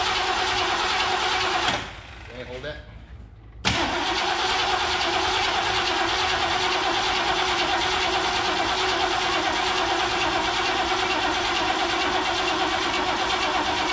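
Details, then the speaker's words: 1969 Mercury Cougar Sport Special, 351ci Windsor 2V V8, sat about 20 years: starter cranks steadily about three beats a second, never fires; fuel starvation traced to a plugged gas tank pickup. "now she's just been sitting a long time and that that gas the gas tank pickup was plugged no surprise there really seen that before"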